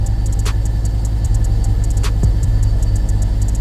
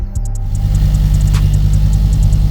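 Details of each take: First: XR5x4 Turbo, freshly tuned, idling with suspected second gear destroyed during a pull. A steady idle drone with sharp ticks and a few seconds of harsh drivetrain rattling. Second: Ford XR5 Turbo started after the gearbox was replaced, coolant still to be bled. A deep, steady engine rumble with an even beat and no knocks or grinding; normal running.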